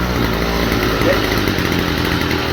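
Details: Stihl FS45 string trimmer, two-stroke, original carburetor still fitted: rough buzzy idle that wavers and won't settle even when turned down; faulty carburetor, to be replaced.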